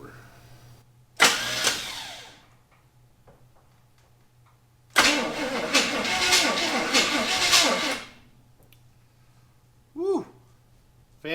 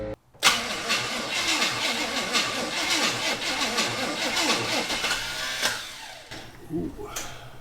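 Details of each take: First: 1974 Chevy Camaro abandoned 24 years, cranked on a newly fitted starter with no coil connected: two bursts of even, strong chugging at about three beats a second, turning over freely; normal cranking with good compression. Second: Abandoned 1974 Chevy Camaro, starter from the scrap pile hot-wired with jumper wire: harsh, uneven cranking clatter for several seconds before fading; starter suspected faulty, timing thought to be way off, fuel line disconnected.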